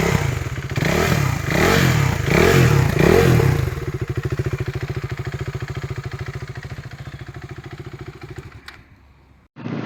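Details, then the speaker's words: KTM 390 single (2017 BS4 Duke 390 at 14k km or 2015 BS3 RC 390 at 13k km), single owner, kilometres and ECU checked, seller reports no problem. Catches, blips a few times, settles to an even idle, then shuts off. Normal start and revving. "അപ്പൊ ഇതാണ് കേട്ടോ വണ്ടിയുടെ engine sound. എഞ്ചിനൊന്നും യാതൊരു കുഴപ്പമൊന്നുമില്ല കേട്ടോ."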